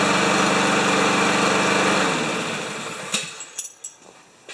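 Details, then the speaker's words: Lawn Boy mower with 160 cc single-cylinder engine and automatic choke, running after a shot of carb cleaner into the carburetor, oil full, refueled: steady, even quick beat for two seconds, then winds down and shuts off; healthy normal running. "nice when they come in and they don't need a bunch of work eh"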